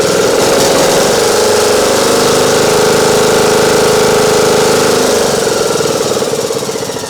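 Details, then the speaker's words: Craftsman YT 3000 lawn tractor with Nikki carburetor, after hitting the choke: even, steady mid-pitched drone with no misses or surging, running all right; some oil burning off the muffler, bogs with too much air. "a little bit of oil burning off the muffler there I should not be doing that well seems to be running all right now"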